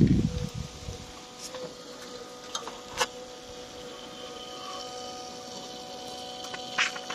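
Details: Peugeot 308 CC 1.6 THP (EP6) after coolant drain and refill with about 4.5 litres, phone held near the auxiliary coolant pump: faint steady electric hum with a few constant tones under handling taps; pump running normally.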